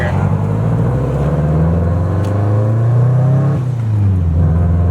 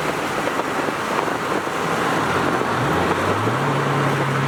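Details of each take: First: Subaru STI on test drive before the Kartboy rear subframe lockdown bolts are fitted: revs climb through the gears with a dull clunk at each shift, the rear differential bouncing in its subframe. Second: Subaru STi after an AVCS fix and a rear subframe lockdown bolt install: the engine pulls smoothly with rising revs through gear changes, and the clunk between shifts is gone; normal drivetrain.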